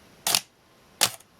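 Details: Minolta X-700 with 50mm f/1.7 lens, in A mode at ASA 25 in dim light: two crisp clacks about three quarters of a second apart, mirror up then down, a clean slower exposure from a healthy shutter.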